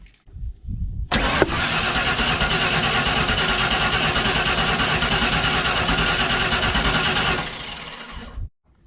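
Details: 1992 Ford F150 XLT, 302 V8, E40D automatic, during a noid-light test of the fuel injector connectors: steady cranking about three beats a second for six seconds, never catching. The injector signal fires, so the owner hopes it's just the injectors. Crank, no start.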